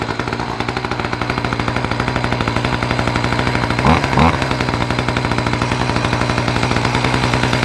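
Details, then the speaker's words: Two-stroke saw restarted after it smoked and overheated: fast fairly even putter, briefly revving midway, runs cleanly. Normal running. "oh yeah I think it's going to be all right"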